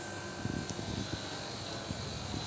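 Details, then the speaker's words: Split air conditioner that had a noisy evaporator and didn't cool, after repair, in cooling mode with 110 suction pressure: steady, even fan and compressor hum, no rattles or surging; running normally. "tenemos 110 de presión en la succión Así que podríamos decir que este aparato está andando bien que quedó bien"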